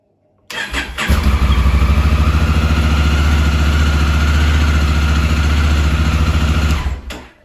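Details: 2017 Honda Africa Twin at 11,000 miles, started after the starter button switch fix for carbon arcing and start-then-stall: starter catches after a brief crank, then a steady deep twin-cylinder rumble for about six seconds; fixed.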